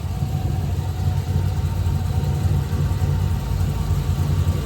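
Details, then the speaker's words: Idle with newly fitted Borla exhausts on headers: a deep, steady, loud rumble with an even beat and no ticking, much deeper than before; the earlier ticking is gone. Normal idle. "boras are on it is loud sounds good way deeper U not as crappy sounding"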